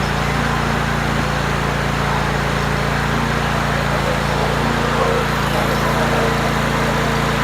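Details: Kohler 24 HP mower engine just after installing an ignition coil module, spark confirmed: steady, even drone with a constant low beat and no misses or knocks. Engine runs smoothly and healthily.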